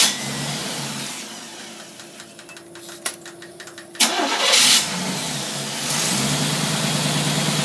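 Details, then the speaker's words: Engine with freshly rebuilt, re-chromed Predator carburetor, idle mixture set: a few cranking strokes, then catches at once and settles to a steady, even idle around 600–700 rpm, no hands on controls; healthy start. "you notice my hands were not even touching the thing thing runs perfect"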